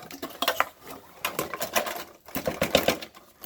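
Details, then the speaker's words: Refrigerator making noise and not making ice: rapid irregular light ticking and clatter; ice stuck against the fan suspected as the cause. "por qué hace ruido entonces vamos a quitar este porque sospecho que este otro hielo ahí que está pegando"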